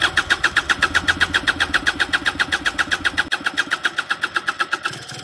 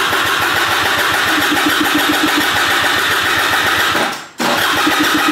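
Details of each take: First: Piaggio SKR 125cc scooter that would not start, test start after troubleshooting and reassembly: quick even chugging about six beats a second settling steadily, nothing irregular; normal engine start. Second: Piaggio SKR 125cc scooter that won't start, cranked after a new battery was fitted: rapid, steady starter chatter that never catches, a brief pause, then more cranking. The electrics work, and spark, compression and carburettor are to be checked next.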